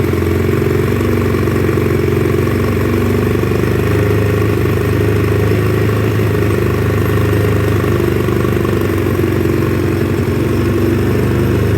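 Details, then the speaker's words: 2009 Polaris Sportsman 800 ATV, sat about six months, running with fuel injection cleaner added: steady single-cylinder drone with slight unevenness in the beat; rough idle, injection system still being cleaned out, improving. "she's not real happy but she's coming back i do have some fuel injection cleaner in her now"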